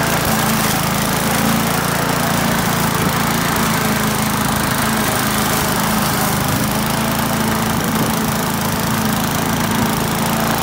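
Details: Australian-built Rover four-stroke mower after governor spring straightened: even, steady drone at constant speed for ten seconds, no surging, misses or rattles; engine running right.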